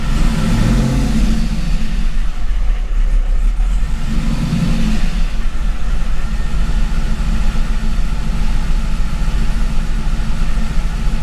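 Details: C5 Corvette Gen 3 LS1 V8 with LS3 90mm gold-blade throttle body: after a difficult cold start and a couple of blips, deep even rumble settling into steady warm-up idle.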